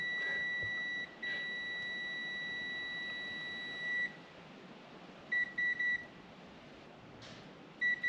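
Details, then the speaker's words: 1966 Mercedes 230SL, stored 40 years: continuity meter on the dry, clean distributor's ignition points gives a sharp high beep that stays on, then short repeated beeps; the points are shorted to ground. "Those points aren't pointing. Yeah. So, it is just like straight up shorted."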